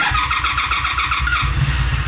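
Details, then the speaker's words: 2002 Honda Magna VF750C, after a no-start blamed on a bad battery, choke pulled and fuel probably stale: catches quickly and settles into a crisp, even rapid beat with a strong rev blip; starts and runs cleanly. "Okay, high beam, low beam. Damn, that started strong too."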